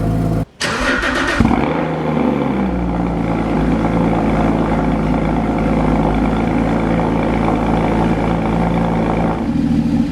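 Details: Rebuilt crashed Porsche Cayman GT4 flat-six with Immico exhaust, first start after rebuild, engine cold: quick crank catches cleanly, then a steady, even idle with smooth deep exhaust note; healthy start and idle.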